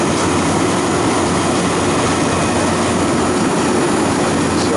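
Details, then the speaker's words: Refrigeration compressor being charged after replacing a restricted drier filter and bad valve plate, suction about 5.8, liquid refrigerant cracked in slowly: heavy strained droning, compressor complaining and laboring under liquid. "See how you hear the compressor complaining. The compressor didn't like that."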